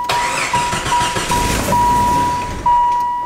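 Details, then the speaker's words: Jeep after a tire came off during a test drive: engine cranks and catches, runs a couple of seconds then dies; starts and stalls, cause unknown. "like it'll fire up but then i'll just die see what i'm doing see what it's doing honestly people i cannot tell you why it's not starting"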